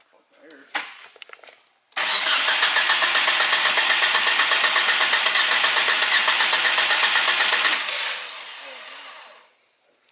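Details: 1G GSX AWD big-turbo build cranked after an unplugged coil pack was plugged back in, testing a suspected coil wiring or grounding issue. Fast, even cranking at about four turns a second for six seconds, never catches; cranks, no start.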